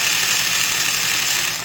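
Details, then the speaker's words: Milwaukee 0224 3/8-inch Magnum corded drill, heavily used, with undersized gears, running in reverse: a high, gritty gear whir at steady speed, smoother than forward because the reverse side of the teeth is less worn, but still rough. "It sounds better in reverse because that's the reverse direction, and so that side of the gears hasn't had the kind of wear that the normal forward operation. I mean, that is a dramatic sound difference as compared to this."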